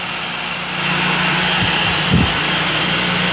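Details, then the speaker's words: Homemade shop fan driven by an old inground pool pump motor, three blades, caged, owner-wired cord, just plugged in: motor whirs to full speed, steady hum and rush of air, no knocks or rubbing; normal running. "I wired it up there goes it's actually became cow it's spinning very very fast"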